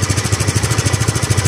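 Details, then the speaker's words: Second-hand scooter checked before buying: even putt-putt idle about fourteen pulses a second, no rattles, ticks or exhaust leaks, quiet; engine sound judged fine, normal idle. "Kung sa akin, wala naman ako naririnig. Kumbaga, about sa tunog ng engine niya, goods naman siya."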